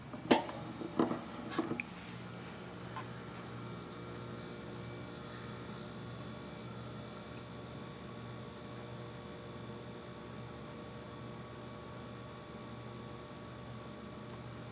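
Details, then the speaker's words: Kegerator/keezer compressor switched on: a couple of clicks, then a low steady electrical hum with no run-up and no cooling. The compressor gets very hot; owner guesses it is dead. "you hear that so that's the sound it makes and uh it just doesn't cool"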